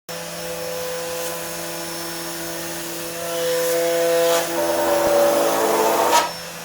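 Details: CNC router running Mach3 after a 3-week electrical noise problem was solved with an opto-isolated breakout board: steady spindle and stepper whine, even tones rising as axes move, no crackle or stutter; normal running.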